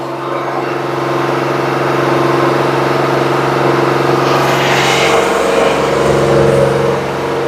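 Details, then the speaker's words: Car after winter, new battery and IAC valve: steady high even hum around 3,000 rpm right after start-up, lasting about 5 minutes before dropping to a normal idle; cause unknown. "But it starts up at 3,000 here, then it tones down. When it goes down, it's totally fine. Oh my god, it's so obnoxious."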